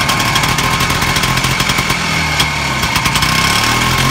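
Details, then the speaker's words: Harley-engined golf cart with a small turbo muffler fitted; fast, even popping idle with a deep, low, muffled tone and no misses, noticeably quieter. "i could tell it's quieter so here's with the the little turbo muffler that's what it sounds like it's kind of a low tone to it"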